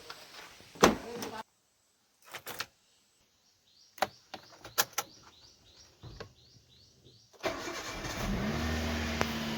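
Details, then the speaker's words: Ashok Leyland dumper truck, morning cold start before driving out (a battery/starting problem is mentioned elsewhere): a few knocks and handling sounds, then the diesel cranks, catches and settles into a steady, even idle. A normal cold start. "Cold start करूया आता गाडी गाडी आता लावली cold स्टार्टला cold start केल्याशिवाय गाडी काढू शकत नाही बाहेर कारण का सकाळ सकाळी इंजिन आपण चालू करतो ना त्यामुळे थोडं कोल्ड स्टार्ट कराव लागते"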